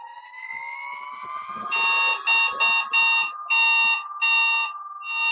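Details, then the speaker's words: Begode ET Max electric unicycle on a stand, throttled up to hold about 80, 85 and 90 percent PWM: a rising tone, then about seven sharp, high, progressive beeps in quick bursts. The PWM power alarm works normally and the wheel did not cut out. "all right so um yeah my pwm beeps seem to be good an"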